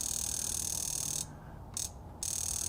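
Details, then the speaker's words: Range Rover high-pressure fuel injector on a pulse tester at setting 4, constant pulse: fast, even high-pitched ticking with a brief pause, actuating cleanly; normal injector clicking, healthy. "can hear it actuating, again, pulsing just fine."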